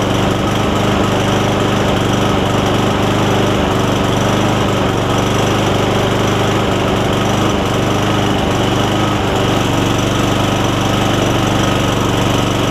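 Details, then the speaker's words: Cub Cadet SR621 push mower with a Kawasaki engine, not run in a while, just fitted with a new carburettor (part 15004-0951), no blade fitted: it holds a steady, even throttle with no misses or surging and runs cleanly. "Seems like it runs pretty good. It hasn't run in a while because I can smell the rust smell, and it looks like that the shut off is a little bit wonky."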